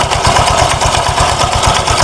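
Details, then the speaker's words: Honda Vario 125 scooter, rough only at idle and smooth when revved. A quick, even tak-tak knock, about 6–7 per second, sounds louder with the CVT cover off, located at the front pulley roller housing; a loose flywheel was suspected but shows no contact marks. "G Mul suaranya tak tak tak tak oke Nah setelah terlepas bagian bak Septi di sini suaranya lebih jelas Pak ya lebih nyaring persis suaranya di bagian area ini pak di bagian area puli belakang eh puli depan"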